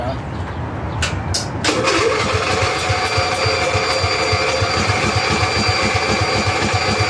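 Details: Custom-built 6x4 garden tractor/riding mower, sat since last year, battery not charged: sluggish, uneven cranking about four turns a second before it catches and runs rough; slow cranking, weak battery.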